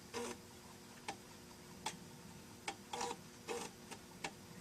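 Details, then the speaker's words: Amiga 500 Plus floppy drive after a partly successful repair, booting the two-disk game Mega Fortress after a reset (it loaded on an Amiga 600 earlier): irregular sharp clicks and short buzzy seeks about once a second, normal head stepping as the disk loads. "So this did load in my Amiga 600 just earlier today, so it looks like this is going to work as well."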